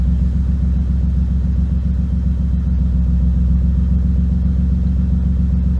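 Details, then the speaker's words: BMW E36 cold start after sitting a couple days: low rumbling idle, uneven pulse with occasional stumbles, slowly clearing but still rough; owner suspects spark plugs or leftover fuel, not confirmed, problem worse after previous attempted fix. "A little rough. Rough. Something's not happy. It could have just been because I started it a little bit."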